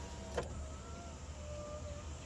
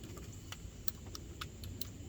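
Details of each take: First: 2011 GMC Sierra 1500 SLE power window after cleaning and working the original switch and connectors: clunk, smooth steady three-second motor whir, clunk at stop; window now works normally, previously wouldn't move. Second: GMC Sierra/Chevy Silverado, key on after cleaning switches with contact spray: faint, uneven light clicks from passenger window motor over quiet low rumble while the window stays up; motor getting signal, possibly stiff from long disuse, cause unconfirmed.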